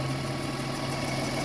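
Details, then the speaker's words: 1997 Lexus ES 300 that came in hard-starting and flooded, with a jammed-closed throttle body: after cleaning, a short steady, even idle hum, no stumble or surging; normal idle. "actually has a little bit of an idle before just idle one speed it didn't start up and idle down it just stay at one speed the whole time"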